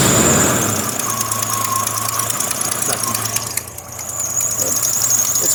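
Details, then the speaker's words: 1982 AMC Concord at idle after ignition and exhaust work: rapid, uneven puffing tick with a faint squeal over a rough idle, going away when revved; exhaust leak, owner suspects a cracked exhaust manifold below the welded gasket area. "the manifold is cracked you know they do crack they do sell a new manifold but that's a huge job"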